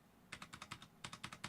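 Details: Roccat Vulcan 120 Aimo keyboard with Titan switches, upgraded with Tai-Hao PBT keycaps and foam; crisp, solid keystrokes in quick bursts with no rattle or ping, tight and well damped.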